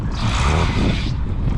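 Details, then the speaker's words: Tractor diesel chugging during sowing, with a shrill steady squeal on top for about a second, then fading: a slipping drive belt. Replacement belts have arrived and are to be fitted today. "Ременчик цей пищить: "Уже заказані, вже ось приїхали. Даже треба тільки помінять сьогодні"."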